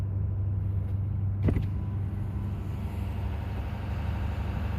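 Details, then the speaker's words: 2018 Ford F-350 6.7 Powerstroke diesel at 210,000 miles, cold start then warming at high idle: a deep, even rumble with no knocks or misses as the cooling fan drops off, a healthy, fairly quiet idle. "so uh there you go 210 000 mile cold start and high idle"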